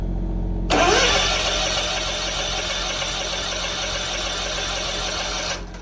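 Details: 2018 Hustler Raptor SD, Kawasaki FR691V V-twin, after head gasket and valve seal replacement for smoking, shroud still off: cranks briefly, catches cleanly and settles into a steady, even run with no knocks or misfires, then shuts off; sounds healthy.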